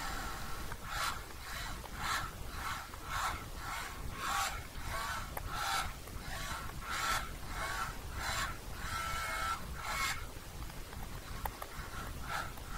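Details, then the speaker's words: Celestron telescope focus drive motor unit, about a minute and a half after it was commanded: faint whirring pulses of about one per second keep repeating. The focus motor runs on by itself without commands, a runaway. "okay so the focus unit was still driving it kind of run away and it wasn't down to any commands I was sending to it and that's what it tends to do"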